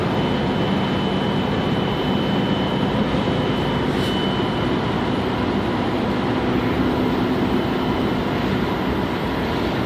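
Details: 1997–2003 Dodge Dakota 3.9 engine (also seen on the 2.5), mostly in very cold weather. A steady, pure ~3 kHz whistle whose pitch does not change with engine speed. A bearing is suspected: Denso alternator, power steering, idler pulley or water pump; unconfirmed.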